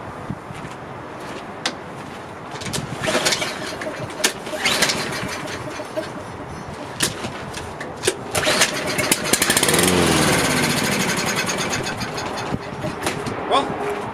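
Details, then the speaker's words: Toro AWD Recycler mower after draining a lot of oil from the cylinder, no fuel yet: strong, even cranking bursts that catch briefly with no knocks, pings or strange noises; normal cranking with good compression. "I'd definitely say it sounds strong. No knocks, no pings, no strange noises."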